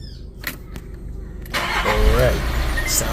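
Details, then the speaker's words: 2015 VW Amarok diesel, after re-timing camshaft and injector pump to fix hard starting/long cranking and P0016 from prior shop: brief crank, catches at once, settles into even idle; easy start, fault fixed. "real good, man. It start up real easy. So, I'm going to call this a fix."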